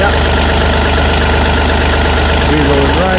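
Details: Yanmar 3TNV88 three-cylinder diesel in a Yanmar C30R started after replacing the primary fuel filter water separator element and bleeding the fuel system: steady even idle, no misses or knocks, no leaks found.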